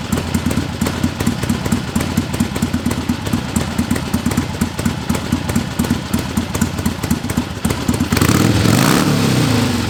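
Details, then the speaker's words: 1961 Harley-Davidson Sportster XLCH Ironhead barn find, fed from a squirt-bottle-filled knockoff S&S carburetor, idles with a lumpy, loping V-twin beat and a small blip; runs healthy. "here you go barn fine 1961 sportster it runs like a top it's like a dream it's perfect"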